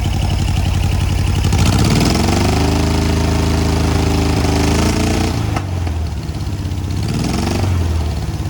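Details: Air-cooled VW 1600 dual-port flat-four in a sand rail idles and briefly revs during an oil leak search, with light, quick valve tapping over the exhaust; it sounds better than before.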